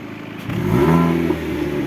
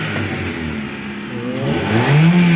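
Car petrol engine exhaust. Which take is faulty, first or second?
first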